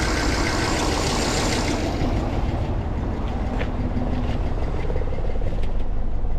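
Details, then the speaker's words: 2009 Hummer H2 V8, dead battery and suspected dead alternator, idling with lumpy uneven beat stumbling every few seconds while the engine light flashes and the lights flicker: misfire. "Alright, the engine light's flashing, so it's misfiring."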